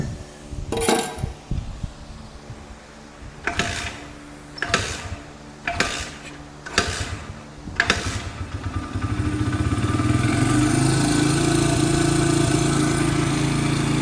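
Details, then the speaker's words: Honda dirt bike, barn find: several kick attempts, then it fires and holds a fast, steady buzz that never drops to a low idle; idle speed set a little high. "Sounds like that idle's a little bit high. That's Honda for you."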